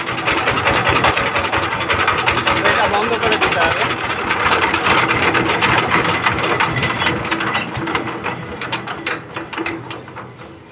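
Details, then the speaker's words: 20 hp single-cylinder Chinese diesel power tiller engine after valve clearance and nozzle adjustment, air cleaner off; steady even clatter about 3.5 beats a second, earlier drum-like thumping gone; healthy normal idle. "আগে যে একটা ঢোলের বাড়ি দেয়ার মত একটা শব্দ আসছিল সেই জিনিসটা আর নেই খুব সুন্দর জায়গায় চলে এসেছে"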